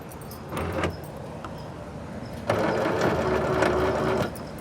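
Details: 2007-2014 Chevy/GMC Suburban, Yukon or Tahoe with the liftgate stuck shut: a brief buzz, then rapid clicking of about four a second from a failed liftgate latch actuator; opened by reaching through a drilled hole to push the latch lever.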